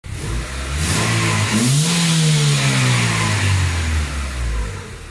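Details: 2003 Honda Civic (G7) after a major overhaul with head gasket, clutch, brakes and mounts done: engine revs up cleanly from idle and settles back, smooth even pitch rise and fall with no knocks, ticks or misfires; normal.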